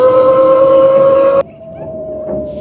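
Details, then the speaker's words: Heybike Villain electric dirt bike with a 4.1 kW motor peaking around 4.6 kW, 200 lb rider, while riding: clear steady high whistle that shifts and drops as the bike slows; the cause is not identified. "What is that noise? Why does it sound like a whistle?"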